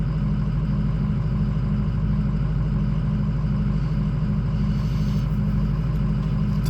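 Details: Ford 6.0 diesel cold idle, just warming up: uneven, lumpy low thrum pulsing about twice a second, with high ICP pressure and no start when hot; fitting an OEM IPR valve fixed it.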